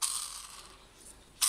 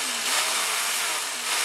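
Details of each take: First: Black & Decker lawn mower whose motor locks and won't turn: a hand-spun motor bearing gives a dry, gritty rasping whir instead of a smooth spin; the worn bearing needs replacing. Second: Black & Decker brushed-motor grass trimmer after repair of a broken bearing that locked the motor; smooth high electric whir at steady speed, then a clean spin-down when switched off, no grinding or rattle.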